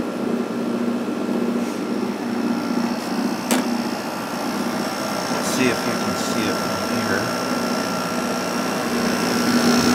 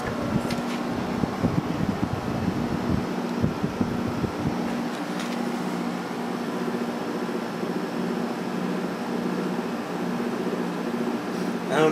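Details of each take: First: Probably late-1980s Emerson Quiet Kool 6,300 BTU window air conditioner after new thrust washer fitted and motor oiled: soft even fan hum with faint steady motor tone, no rattle or grind; runs quietly, strong airflow. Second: Vintage Emerson Quiet Kool 6,300 BTU window air conditioner with rotary compressor, running: steady fan drone with a low hum and faint buzzing vibration; the motor shaft moves in and out, and the owner thinks a thrust washer is worn.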